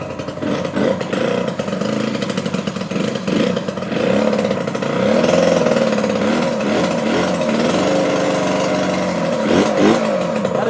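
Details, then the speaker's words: 1985 Yamaha RZ350 two-stroke twin, first run in at least 10 years on premix, kick-started with no fuel tank connected: ragged, lopsided, stumbling idle; sounds like running on one cylinder, maybe one cylinder flooded; uneven running. "Sounds like it's running on one cylinder, man. To me, maybe only one cylinder got flooded."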